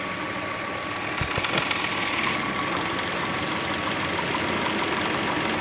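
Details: 2003 Hyundai Tiburon at idle: light, uneven metallic rattle about three to four a second near the timing belt, fading in and out; owner suspects the tensioner or belt, unconfirmed.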